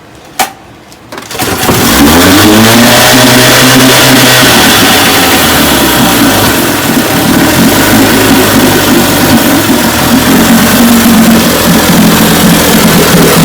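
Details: 1958 Evinrude 18 hp two-stroke outboard after rebuild (magneto, single-line fuel pump conversion, carburetor kit, impeller, gear oil): cranks, catches within a second, revs up, then holds a strong, even buzz; runs clean and healthy.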